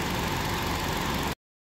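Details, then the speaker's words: 2005 Hyundai Sonata 2.4 petrol, 169,000 on the clock, after NGK plugs fixed a cylinder 4 misfire: smooth, even idle with no stumble or missed beats; running fantastic. "NGK plugs into fake coils and all is running fantastic"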